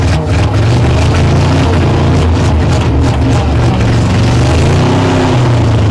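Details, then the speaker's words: 1960 Chevrolet Impala V8, sat for decades, first run on its own after the carburetor floats seated: a deep idle throb that swells and sags; the cause of the pulsing is unknown, though it seems to hit on all eight. "I don't know why it's pulsing like that I'm not 100 sure why it's doing that"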